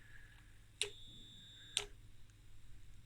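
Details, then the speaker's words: Danbridge JP12A 12 kV insulation tester (possibly 1985) at about 600 V test output: two sharp clicks over a faint high whistle as a failing relay switches erratically. The unit also has a melted resistor and arcing in the high-voltage section. "the relay was broken the relay was failing and you could hear something was going on and current was going on"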